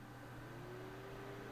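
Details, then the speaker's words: PC just after boot: a loud steady fan rush ramping up in tone, from the graphics card fan spinning far faster than it should, when it ought to be quiet. "Yeah, it is actually the graphics card fan. That's massive. Which shouldn't actually be going that fast. It should be quite quiet."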